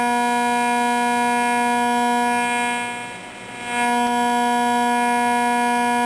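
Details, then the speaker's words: Zenith Trans Oceanic Royal 3000-1 radio after repair and reassembly: steady buzzy hum with layered tones, briefly fading then returning, interference from an LED flashlight held nearby. "so there's noise sources here that's not one this is analog my flashlight my wonderful led flashlight"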